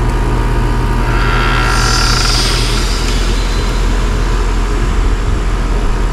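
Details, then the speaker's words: Downstairs Trane heat pump, head pressure 437 psi in cool, suction 66 psi, flooding back, evap leaking: a heavy compressor drone with a loud hissing surge on switching to heat. The reversing valve does not appear to be shifting fully; abnormal changeover. "that reversing valve don't sound like it's shifting all like it should"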